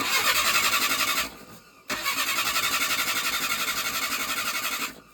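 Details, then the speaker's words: 1977 Chevy Luv after 18 years in a salvage yard: starter cranks in two steady bursts but never catches; no spark because the coil wire was disconnected when fitting the starter. "so real quick before I went back inside for the night I did check the uh spark from the coal we did not have any apparently I disconnected that little guy when I was putting the starter on"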